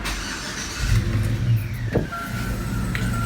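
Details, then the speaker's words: Engine running after owner's DIY water pump and new belt install; the earlier belt squeak was blamed on a slightly cracked pulley. Steady low hum with no squeal or chirp; belt tight, alternator not hot, running normally. "right now everything runs great. Don't have any problems with anything. No squeaks. The belt is tight. Water pump is good. Everything is running perfectly."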